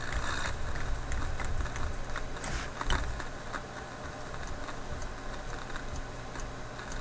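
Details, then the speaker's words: Philips 922 vacuum tube radio run on current-limited reduced voltage after sitting off for hours: irregular sharp pops and crackles over a low hum return while tuning; crackling static, owner suspects IF capacitors failing again. "ah now that crackling seems to be there"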